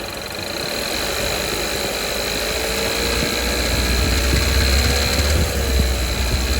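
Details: 2019 Kia Soul 1.6L GDI, 6-speed manual, 55,000 miles, full synthetic 5W30, no oil burning: light knock from the low 2000s growing sharper as revs climb to about 3000; owner suspects rod knock, possibly cylinder 3.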